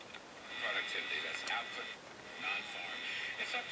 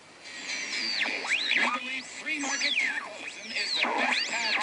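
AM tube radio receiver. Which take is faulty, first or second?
second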